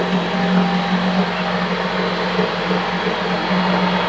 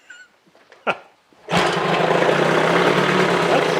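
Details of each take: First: 1975 Johnson 25 hp two-stroke outboard, unrun for four years and revved near redline with its water pump working; loud, raspy exhaust grows heavier, louder than it used to be at the exhaust port. Cause unconfirmed. Excessive exhaust noise. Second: 1975 Johnson 25hp outboard, not run in over 4 years: one cord pull and it fires straight away, settling into a steady, even two-stroke buzz with no misses; healthy start.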